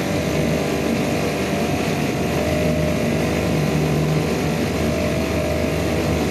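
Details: Yamaha/Suzuki 2.5hp outboard two-stroke with a slow-running jet problem, being adjusted with the screws and throttle: a steady buzz with a slight waver in pitch that never quite settles, showing rough running from the slow-running jet fault.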